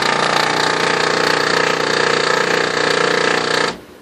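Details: Harsh gritty grinding chattering three to four times a second from a new replacement OKI Data MB480 printer while running, which also shows errors and jams with no obstruction found; cause unclear.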